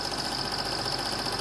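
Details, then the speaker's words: Serviced Eumig dual-gauge 8mm projector running Super 8 film after transport-mechanism repair, speed not adjusted: steady, even whirring chatter with a fine rapid claw and shutter flutter, no knocks or catches; running smoothly. "as you can see the projector is running smoothly you can hear that clatter clatter which means the claw is engaging"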